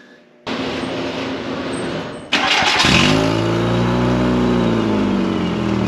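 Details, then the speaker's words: VW Mk4 2.0 wagon, car jacked up, start and fast idle with microphone underneath: loud puffing rasp from the exhaust, the stock resonator leaking, not the downpipe U-clamp. "Well, there's your problem. So, as it turns out, that U-clamp is fine. The stock resonator, on the other hand, is really leaking."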